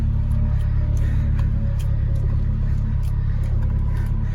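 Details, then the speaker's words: Acura/Honda engine at idle after power steering fluid flush with genuine Honda fluid: only a faint hint of pump whine remains, smooth turning right, slight when turning left; power steering essentially healthy now. "hopefully the whining is gonna stop as you can hear there is no more whining or very subtle"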